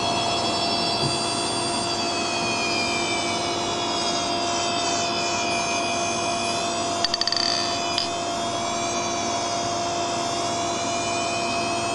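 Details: Hard disk drive with a finger run across the square chip on its circuit board. A high, steady whine with rising tones climbing in pitch and sharp clicks near the end: the spindle motor overspeeds and the head may bang against the motor.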